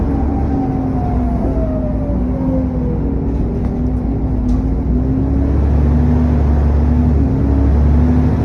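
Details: SN61 DDE E210, driving on a dead run: clear turbo whistle sliding down as revs drop over cooling fan roar; cause suspected, not confirmed.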